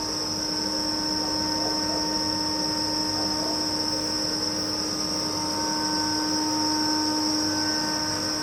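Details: Kaeser SX 6 Aircenter screw compressor (2009, 5,863 working hours, 270-litre receiver, integrated dryer) starting from 2.3 bar in the receiver. Constant, even whine with steady high tones, no knocks or grinding while building pressure; healthy running.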